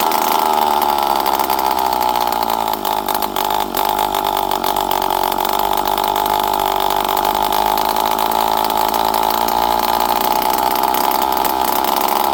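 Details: Poulan 5200 Counter Vibe chainsaw, unrun for 5-6 years, on the bench after carburetor screws were set around half to 1.5 turns, with no muffler. A loud, raw two-stroke buzz holds steady and even with no stumbling or surging. Normal running.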